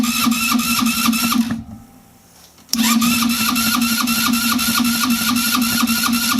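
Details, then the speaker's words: Velocity 150cc scooter after cylinder head and valve work: starter engaging, steady cranking about four beats a second, short pause, more cranking, no firing; cranks but won't start, owner suspects low battery power. "I can hear it engaging but not trying. It's not trying to start yet."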